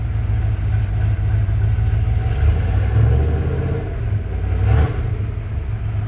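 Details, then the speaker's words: Ford Bronco engine revved with each spark plug pulled in turn; a loose, uneven knock that eases with the number four plug out, pointing to cylinder 4. One view suggests piston slap; not fully confirmed. "whenever we take the number four spark plug off it totally milds out the sound of this according to james that would point to piston slap"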